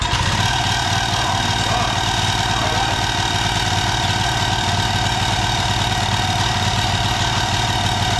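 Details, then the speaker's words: Second auction-bought generator, running on the floor right after starting first pull: loud engine roar with uneven clatter as the pull (recoil) starter fails to disengage from the flywheel; it also leaks fuel from the carburettor and its on/off switch wouldn't stop it. "clearly a problem with the pool starter there not really coming off"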